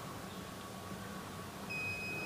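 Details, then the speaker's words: 2010 Toyota Avanza S 1.5 automatic used-car inspection, ignition on with scan tool plugged into the OBD socket: quiet cabin hiss, then a steady high electronic tone holds as the scanner connects, before the diagnosis menu. "dia sudah terkoneksi saya akan masuk ke menu diagnosa"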